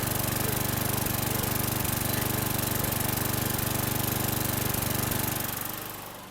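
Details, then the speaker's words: 2011 Troy-Bilt 21-inch self-propelled mower, engine 725EX, after carburetor clean and new bowl gasket: small single-cylinder idle with occasional stumble, slight miss and burping; owner suspects carbon on the valves. "so it's started relatively easy and it sounds good there's a little bit of uh rough idle but it's nothing that I'm going to be worried about little bit of a Miss could be some Carbon on the valves"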